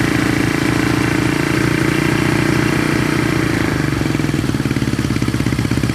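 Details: 1970 Honda SL350 twin during restoration, first start attempt after fuel was put down the plug holes, one carburetor leaking fuel: settles into a steady, even idle with a clean exhaust beat, no knocks or misses; normal idle.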